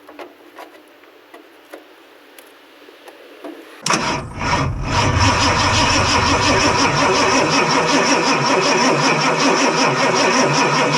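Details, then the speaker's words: 1969 Ford Mustang Grande, 351 Windsor with automatic 3-speed, non-runner being started: a few clicks, then steady cranking that never catches. No fuel is reaching the clear inline fuel filter or the carb. "Okay, so it isn't getting fuel to the cars, or the little clear fuel filter didn't get any fuel in it."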